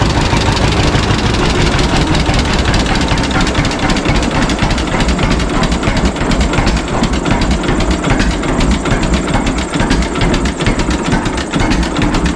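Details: 1952 John Deere G two-cylinder tractor started for the first time in several years after fuel tank and leak fixes: slow, evenly spaced pops at a settled idle with no misses or knocks, running smoothly.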